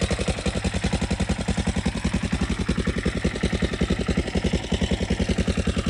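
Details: Yamaha Raptor 660SE single-cylinder quad: even thumping idle at about three and a half beats a second, no smoke; background rattle from loose front motor mounts.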